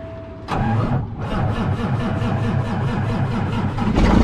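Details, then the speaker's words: Peterbilt with Cummins diesel, cold start after sitting three days, with jumper cables connected; starter turns over in even pulses, fires and settles into a fast steady cold idle, cold oil circulating; normal cold start. "there we go so okay and she apparently has regulated herself here a little bit due to the temperatures and you can hear coal in that oil circulated up in that engine"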